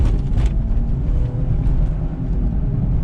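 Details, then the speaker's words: 2006 Infiniti M35x at 156,000 miles, driving at speed: deep steady growl from a badly worn right-front wheel bearing, louder when braking, with grinding brakes, shaking and steering wheel shake; customer reports noise and vibration worse at higher speed. "Yeah, that bearing's real bad. It's up front. Sounds like right front. When I hit the brakes, it gets louder."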